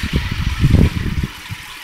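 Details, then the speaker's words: Chrysler 2.7-litre after water pump and timing work, start and idle during extended test driving: brief crank catches quickly into a low, even, quiet idle with no knocks or misses; runs healthy before a later blown head gasket. "right up runs great it's in some good condition it really is"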